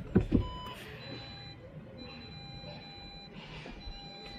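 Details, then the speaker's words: 2007 Audi A4 B7 rear parking sensor in reverse over a quiet idle: faint, unbroken high warning tone even with nothing behind the car, still there after cleaning with spray; faulty sensor suspected, replacement needed. "bipul ăsta se pare că se aude încontinuu nu vrea să funcționeze îl opresc că n are rost"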